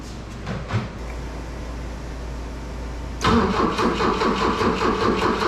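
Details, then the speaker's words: 1971 Volvo 1800E supercharged four-cylinder with a T-5 gearbox: starter spins the engine with an even chug, two to three beats a second, but it never fires; owner suspects no compression; crank no start. "it sounds like i don't know kind of sounds like it has no compression"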